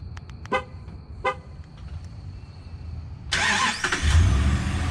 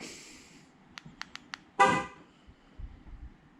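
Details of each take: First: 2012 Dodge Ram 1500 Hemi, remote start enabled via AlphaOBD, triggered from the key fob with doors locked: two short horn chirps, a pause, then the starter cranks and the engine fires up; remote start working normally. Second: 2012 Dodge Ram 1500 Hemi, remote start enabled via AlphaOBD after new hood latch, truck on lift after sitting a few hours: fob clicks, then only one horn chirp and no cranking; remote start still not engaging.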